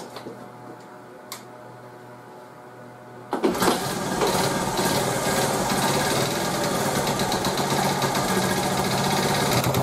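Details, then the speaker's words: 1986 Honda TRX70 ATV after top-end rebuild, first start with choke on: small single fires up with a fast light tick over idle, no smoke, new noise; owner suspects valves need adjusting once cold. "sounds like one of the valves got to be adjusted in there has to be the valves cuz it wasn't making that noise before no smoke which is nice"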